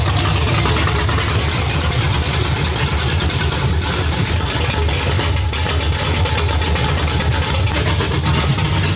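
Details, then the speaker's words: 2003 Chevy Cateye Stepside V8 with Texas Speed stage three cam, untuned, open headers: loud, lumpy idle with sharp uneven lope, chopping already, may miss slightly until tuned; choppy cam idle. "it's chopping already pretty quick it sounds really really good on the gas stage three"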